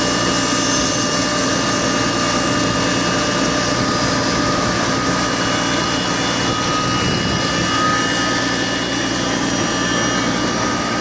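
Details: Car with timing belt, water pump and serpentine belt replaced Jan 2023: steady, even high-pitched whine over the engine at startup; cause unknown, owner guesses some bearing, not confirmed.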